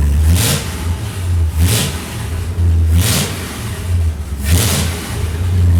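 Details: Restored Ford Galaxie 500 V8, timing 15 initial, 36 total; deep blips up and back about every 1.5 seconds, to almost 3,000 rpm, no misfire: normal revving.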